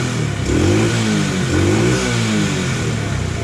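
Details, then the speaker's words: Taotao 125 single-cylinder, running after a faulty CDI box and carb were found behind a no-start, blipped several times: clean, even rises and falls with no stumble. Normal revving, though it needs an oil change. "It sounds pretty good to me. It definitely needs an oil change."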